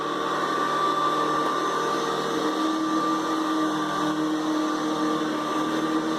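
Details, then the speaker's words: Hoover Decade 800 upright vacuum, two-speed, run on speed 1 and speed 2: steady even motor whir with constant tone, no knocks, rattles or surging; very smooth, pleasant normal running. "Very smooth runner, very pleasant runner."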